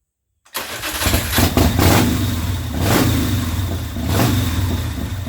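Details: 2004 custom Harley-Davidson V-twin, bought as a non-runner, first start after refitting a primary chain gear that broke loose from the BDL competition clutch housing: fires on the first crank and settles into a steady, loping idle, healthy.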